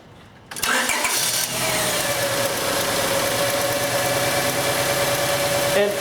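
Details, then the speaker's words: 1999 Honda Accord 2.3 L auction car with a bad misfire, just started after refitting the factory spark plug in place of an anti-fouler: lumpy, uneven, stumbling idle, misfire still present; a plug wire was found not reaching the spark plug. "I definitely still hear a misfire."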